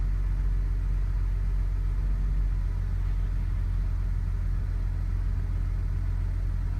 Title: BMW E60 535i cold start and rough idle